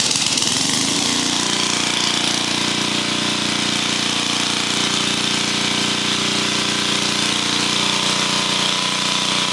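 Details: Engine-driven welder that lacked power under welding load, now rebuilt with new head gasket and valve cover gasket, valve springs reinstalled, fuel pump already fixed. It catches after a second and settles into a steady, even hum with no knocks or misses. Normal running.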